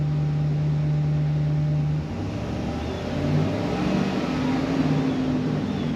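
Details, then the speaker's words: 2015 Chevy Express van with intermittent bank 2 injector-circuit misfire: engine revs up and settles evenly, with no stumble, skip or uneven beat; runs perfectly smooth as the intermittent fault isn't showing. "put it in gear all right so it's intermittent because right now it's perfectly smooth"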